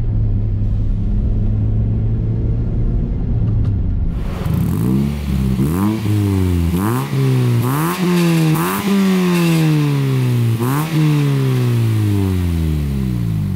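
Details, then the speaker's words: 197K-mile Scion xB with a SuperTrapp aftermarket muffler, revved: repeated quick blips over a deep rumble, not too loud but slightly raspy; interior rattles, mechanically runs nice; raspy exhaust note. "it's not too loud it is a little bit raspy but it is meant for a dirt bike so I can tell that it was supposed to sound this way and I'm okay with it"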